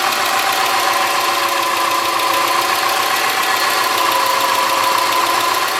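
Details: 2003 Subaru Forester, 178k miles, ~150 miles after head repair for a dropped valve guide, cold start. Fast, light ticking at three to four per second over a busy idle: the driver-side front exhaust valve clearance was .029 instead of about .010. Fixed by adjusting the clearance.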